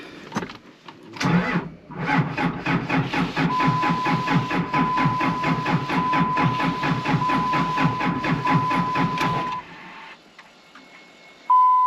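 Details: 2005 Ram 2500 after replacing the FASS lift pump and damaged fuel supply lines that had air leaks; starter cranks steadily about eight seconds then stops without firing, owner fearing low battery, charger then hooked up.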